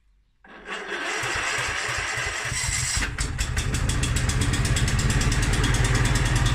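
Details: Mountfield SP536ES self-propelled mower, RM55 160cc engine, after service, new battery and drive belt: catches on first try, settles into an even, steady beat with no misses or knocks. Normal running.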